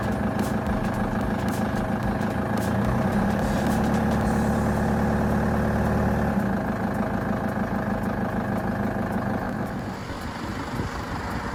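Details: LTI TX2 London taxi, 2.4 L Transit diesel inline-four, cold start after about three weeks sitting, after a glow-plug cycle: the engine catches and settles into an even, steady diesel clatter at about three beats a second with no misfire. Healthy.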